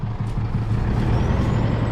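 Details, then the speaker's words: Isuzu D-Max diesel revved on the roadside after climbing a hill: a deep, uneven thrum with lumpy low pulses, running rough and puffing white smoke; a dropped injector is suspected, leaving fuel unburnt. "Anyway, looks like she's dropped an injector, so anyway, fire up Emma, we'll see what, show you what she sounds like. She's running pretty rough. Poor thing. She's not a happy camper."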